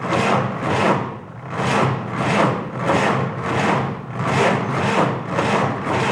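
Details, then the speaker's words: 1949 Willys F134 engine, good battery, carb leaking fuel: slow labored cranking, about a hundred compression strokes a minute, no firing; cranks but won't start. Owner suspects slow cranking speed or the carb, which needs rebuilding. "Wants to start. One of two things. Maybe it's just not turning over fast enough."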